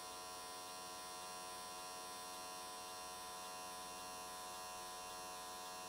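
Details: AC TIG welding an S13 catch can, likely aluminium, at 95 Hz square wave. Steady, even buzz at constant pitch with no crackle or sputter. Normal, smooth, stable arc, judged a good frequency choice that carried the weld around in one session.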